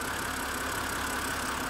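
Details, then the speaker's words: 2011 BMW 328i E93 N52 after engine replacement, first run with no cooling system fitted and oil at max: smooth, even idle with a steady hum and no knocks, ticks or misses. Normal idle. "oh oil already checked itself it's at Max oh I'm so happy right now this thing's running"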